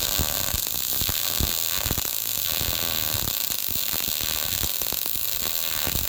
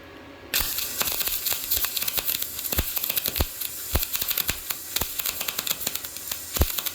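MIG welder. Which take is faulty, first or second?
first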